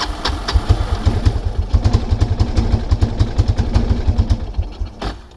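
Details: 1999 Kawasaki Prairie 300 ATV on trail with gas cap removed (owner suspected cap not venting): lumpy stumbling thumping that sags and dies around five seconds; owner suspects carburetor float stuck open, running very rich.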